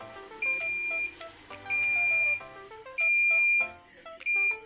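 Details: Normal mains-return beeps from a Sukam Falcon Eco inverter after repair (burnt MOSFETs and a 47-ohm resistor replaced): steady high-pitched beeps about 0.7 s long repeating roughly every 1.3 s over background music, as mains power comes back.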